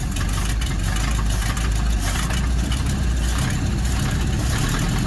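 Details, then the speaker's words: 1955 Dodge Super Red Ram Hemi V8, first start: steady, even low rumble with no ticks or knocks; normal smooth idle. "Can you believe that baloney sounded pretty good, too? I know. Wasn't knocking or nothing."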